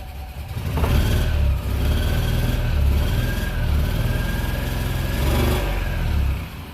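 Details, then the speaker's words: BMW Isetta small single-cylinder engine after new piston rings, first run: buzzes cleanly through throttle blips and drops smoothly to idle; runs quite well, though it later still smokes. "I think we gotta take this outside and drive it around a little bit it runs and runs quite well"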